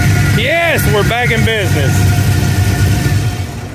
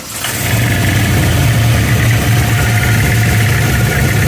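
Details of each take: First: Camaro on the 2023 Hot Rod Power Tour that developed a noise on the road, after a roadside fix: a deep, steady V8 rumble with even firing under some squealing and music; the engine is running smoothly again. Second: Camaro on Hot Rod Power Tour, started at a gas station: deep rough drone with uneven knocking at idle, first feared a rod or clutch; traced to a flexing standoff on the March Performance accessory kit's bottom pulley under belt tension.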